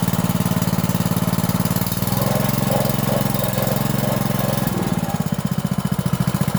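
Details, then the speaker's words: 5.5 hp petrol water-pump engine, after carburetor cleaning and after the air-hole rubber was removed and blown clean: a small single-cylinder engine with a steady, even beat and clean speed changes. No stumbling, so it now idles normally. "เห็นมครับหลังจากที่เราได้สตาร์ทเครื่องลองดูเห็นความแตกต่างอย่างชัดเจนครับหลังจากที่เราได้ถอดยางตัวรูอากาศออกมาเป่าล้างทำความสะอาดครับก็ทำให้เครื่องเดินเรียบขึ้นนะครับไม่สะดุดเหมือนก่อนที่เราจะได้ถอดออกมาล้างนะครับ"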